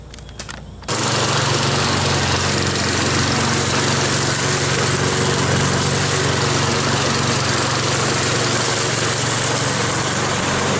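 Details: Troy-Bilt mower with a "Frankenstein" engine built from another engine's parts, after a new head gasket: the single-cylinder pulls steadily through grass with even firing, no hunting or surging; healthy under load.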